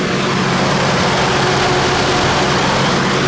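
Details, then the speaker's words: GMC Envoy, over 200,000 miles, after a new computer install: steady, smooth idle with strong whooshing fan roar and no knocks or misses; healthy engine. Fan clutch code sometimes appears, replacement pending; it roars like a jet on cold morning starts. "Give you a listen to it out here. Man, it's a good sounding engine for over 200,000 miles."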